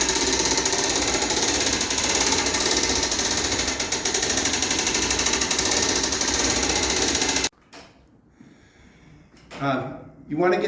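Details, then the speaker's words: Revere bell tower clock being hand-cranked in the direction of the arrows: quick steady clicking about three per second then stopping; the winding ratchet catching properly, no clicking would mean unwinding. "When cranking, it's important to go in the direction of the arrows. You'll hear a clicking. You go the other way, you're going to unwind it."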